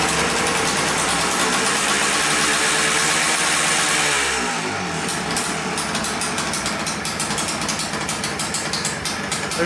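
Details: 1989 Yamaha Blaster 200cc two-stroke quad, first start after a rebuild: it screams at high revs, drops, then climbs again on its own. Owner suspects an air leak; spraying carb cleaner around the carburetor and flywheel changed nothing.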